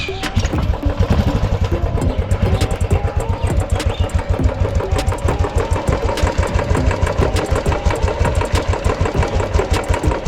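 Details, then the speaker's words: Old Royal Enfield Bullet/Classic 350 after engine rebuild with new parts: steady single-cylinder thump about three beats a second with light mechanical clatter left; noise reduced but not gone, mechanic expects it to drop further after running in. "वैसे तो noise कम हुई है पर एकदम खत्म नहीं हुई"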